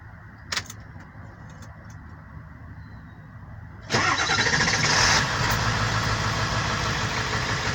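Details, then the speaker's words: 2001 Ford E350 7.3L Powerstroke diesel after starter work: brisk, even cranking that quickly catches and settles into idle; starter now working healthily, battery still to be checked. "I'll see what's up with the battery but this is how my starter sounds now"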